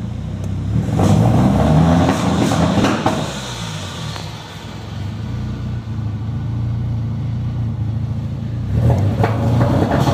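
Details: Nissan SR20DET with stage 3A, 555 Nismo injectors, Z32 AFM, AVCR boost controller, non-NATS ECU: revs rise then flatten and fall back around 2,500–3,000 rpm, same with MAF plugged or unplugged; won't rev past 3000 rpm, cause unknown.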